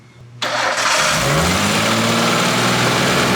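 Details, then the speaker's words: R33 Skyline engine swap, first start: it catches after a short crank and settles into a rising, uneven idle with a faint metallic rattle. The engine had not run in a long time; a VTC gear is suspected, not confirmed. "i think it's just a vtc gear being a butthole it's a vtc gear the car the engine hasn't ran in a really long time"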